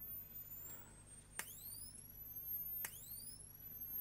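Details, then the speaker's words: Salvaged camera xenon flash circuit on a new PCB, powered at about 3.5 V; a high thin squeal climbs as it charges, two sharp flash snaps, then the tone rises again; charger working properly. "We know this board works and you can hear the squeal."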